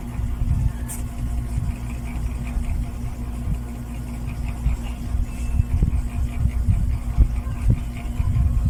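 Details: Eight-month-old NSS 410 MM mini ceiling fan after running a few hours: steady low drone with constant hum and rough rumble underneath; motor running noisily, cause unclear.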